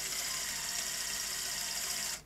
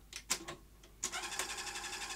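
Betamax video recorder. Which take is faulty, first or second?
second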